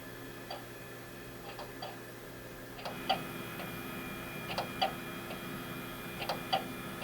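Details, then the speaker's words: NEC Ready 9947C desktop (Pentium III 450) at first boot after years stored in a basement: soft drive hum with sharp ticks in small clusters every couple of seconds during hard disk detection; drive sounds unhealthy, CD drive also unhappy, cause unconfirmed. "The CD drive, first off, is not happy. The hard drive sounds a little interesting."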